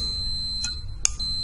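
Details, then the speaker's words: Four-terminal normally-open relay with its coil powered straight from a battery and a multimeter on continuity: sharp relay clicks with the meter's steady beep as contacts close and open, normal relay operation. "Aquí estamos energizando la bobina. Se escucha el accionamiento del relay"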